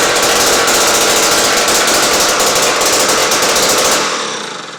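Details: 1953 ice auger two-stroke after fixing a spark issue, with fresh gas: loud rapid crackling buzz at a strong even pace until it winds down; sounds healthy.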